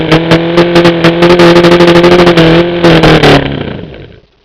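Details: OMC 125 hp outboard on a dyno after replacing the faulty VRO fuel pump: steady, even low drone at constant speed, then a clean shutdown. It runs well without pumping the primer ball, so the fuel delivery problem is solved.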